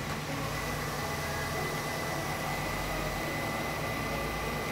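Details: 2008 GMC Sierra 1500 just after an alternator replacement, battery sitting three weeks: steady, even low rumble at idle with a faint constant whine on top, no knocks or misses; starts and idles healthily.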